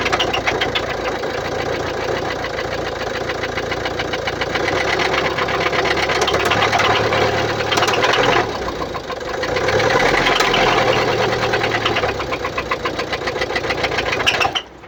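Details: 2016 Mercedes-Benz Vito 639, 1598 cc OM622.951 diesel, 84 kW, 237,870 km: steady idle with fast even ticking about three to four a second; suspected defective hydraulic lifters.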